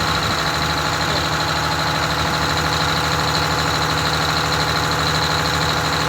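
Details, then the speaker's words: Rebuilt Detroit Diesel 6V92TA in a Wanderlodge bus, long sitting: steady, smooth but fast idle that never drops or hunts; idle about 400 rpm too high, should be near 600. "the idle is way too high on it so we're going to figure out what's going on with the idle on it I it's like 400 RPM too high"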